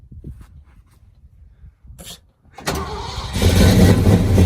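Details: 1979 Ford engine's last start before being deliberately destroyed: short crank, catches at once, settles into a steady even idle with no misses or knocks; healthy start.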